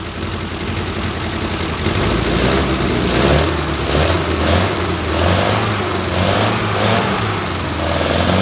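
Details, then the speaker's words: 1973 MG Midget parked over 40 years, running on a makeshift fuel setup with a gasoline leak: small four-cylinder catches and runs on with steady, slightly surging burble without stalling; normal running. "well that's progress oh he's got gasoline running out here that's not good but it"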